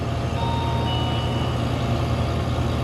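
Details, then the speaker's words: Ice merchandiser R-134a refrigeration compressor, restarted after cooling with a wet rag, hot box: heavy, rough low drone with an uneven churning beat, laboring under big load, hot discharge, high suction; suction valves suspected bad, not confirmed. "sounds terrible so I need to gauge up on it see if the suction vals are bad discharges it's discharging it's hot as hell big load on it"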